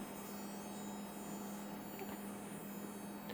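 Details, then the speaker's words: Aging HID automotive headlight ballast, powered on the bench: steady low electrical buzz with faint hiss as the lamp starts blue and turns white; ballast buzz. "So this one is blue when it first starts up, and then it turns white. And of course you can hear that buzzing."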